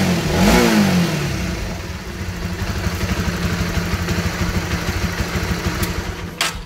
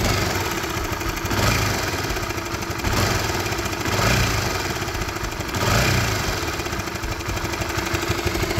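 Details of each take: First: Honda CB150R after readjusting the cam chain tensioner (LAT): throttle blip then steady single-cylinder idle around three beats a second, the earlier top-end clatter gone; normal. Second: Honda CB150R motorcycle idling with a faint clattering knock swelling every second or so, intermittent, from a worn cam chain tensioner (LAT) needing adjustment.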